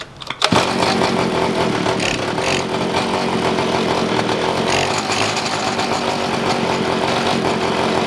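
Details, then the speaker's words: Small two-stroke pocket bike at a fast idle after carb tuning of the idle and air mixture screws, buzzing with a slightly wavering, hunting note; owner says it intermittently runs well or badly, uneven idle from imperfect mixture. "The bike's been weird since the moment I've had it, because sometimes it runs really good and I don't have to adjust the idle screw and the air mixture screw, and then sometimes it runs like shit."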